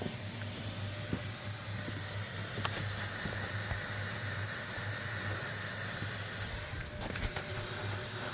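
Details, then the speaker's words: 2002 Ford F150 with exhaust manifold leaks at five cylinders: a steady airy hiss over a low hum, with light clicks. "Well, that's 1, 2, 3, 4. That's 5 cylinders that have exhaust leaks."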